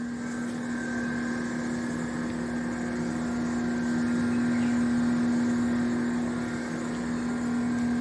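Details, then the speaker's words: Samsung 1.5-ton 4-star Windfree inverter split AC (AR18BY4APWK, 2022), outdoor unit running, recorded directly with no mic or editing: smooth steady hum with a constant mid-pitched tone, no rattles, knocks or grinding; normal outdoor unit noise. "तो देखिए ये जो है guys ये normal noise है और आज का जो मैं वीडियो बना रहा हूँ वो बिल्कुल डायरेक्ट बना रहा हूँ, कोई माइक नहीं है, कोई एडिटिंग नहीं है, कुछ नहीं है।"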